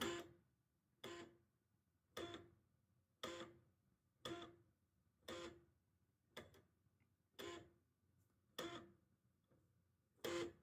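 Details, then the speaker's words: Rare CECHC03 PS3 that powers off with PS2 discs, trying to boot a burned disc: sharp clicks about once a second, repeated with quiet between them, as the optical drive retries and won't read or boot; cause unconfirmed. "okay this sound probably isn't good it will not boot up so this one doesn't work"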